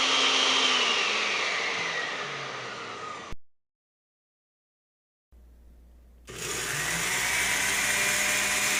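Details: Blender after repairing a worn lower motor bearing and a loose carbon brush holder terminal: smooth high whine winding down, stopping, then spinning back up evenly with no rumble or rattle; motor runs healthy.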